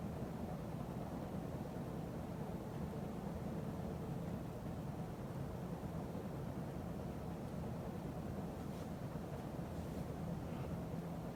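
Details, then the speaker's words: 52" Emerson Heat Fan ceiling fan dated September 1980, at maximum speed after bearing replacement and blade balancing: steady even whoosh, no clicking or bearing rumble, slight remaining wobble, occasional solid-state control buzz; normal running. "It still wobbles a little bit, but not as much as it used to. And there's no more noise, no clicking noise, no bearing noise."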